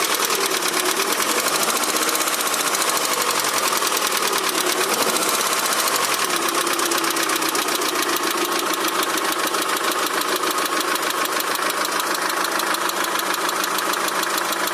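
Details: Daewoo Nexia 16-valve engine with a fast, light, slightly uneven ticking knock at about two per second over the running engine; knocks both cold and warm, source unclear.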